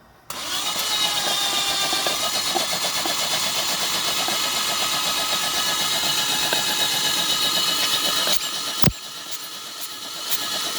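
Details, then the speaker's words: Toyota Vios petrol engine sat 3 months, lost compression, fuel and spark present: fast steady starter churn about four beats a second, never catching before cranking stops; long cranking, no start. "Ah 3 months na hindi umaandar Ong Vios ah nag-lose compression na siya e pero kumpleto may gasolina may kuryente"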